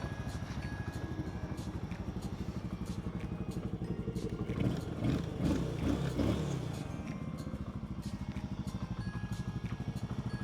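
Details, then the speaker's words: Honda motorcycle with rebuilt top end (new carburetor set, new cylinder barrel), new chain and shocks: even, quick single-cylinder putter at steady idle with no misses or knocks; normal idle. "ได้สตาร์ทมือนิ่มดีเด้อครับ"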